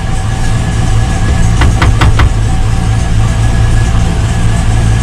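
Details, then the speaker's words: V8 truck idling with a deep, uneven stumbling beat and shaking after an oil change, oil previously about an inch over max; good oil pressure but still misfiring; spark plugs to be pulled and cleaned. "it's still missing i can hit a truck shaking a little bit it does got really good oil pressure so you're here it's like real flip flop flip floor it's definitely still got a mess in it without a doubt"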